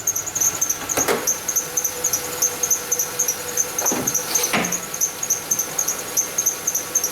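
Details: Kia Sportage idling. Sharp high chirps about once a second: the belt chirps because the harmonic balancer is separating, letting the belt ride the pulley toward the timing cover groove.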